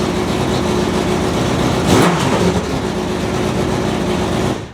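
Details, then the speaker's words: 2004 Honda CBR600RR with new custom full-system catless header and slip-on: loud raspy idle with a blip, deep uneven V8-like burble from a big exhaust leak at the header/slip-on joint. "all right so we're kind of at a predicament here um the thing sounds like a V8 because it's got such a big exhaust leak"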